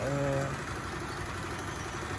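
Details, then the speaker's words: Piaggio Zip scooter after service for noisy engine: steady, even idle with smooth low putter, no knocking or rattling, quieter than before; normal idle after service. "mungkin karena basic suaranya agak kayak gini jadi ratakan yang ternyata oke nah kelihatan suaranya lebih halus"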